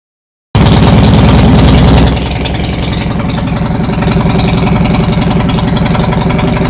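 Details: Dnepr twin first start after overhaul (Almot pistons 79.00 mm, reworked heads with bronze guides, new 10-36 camshaft, flywheel lightened to 3.2 kg): starts at once, steady even low thumping idle near four beats a second, no knock; normal running.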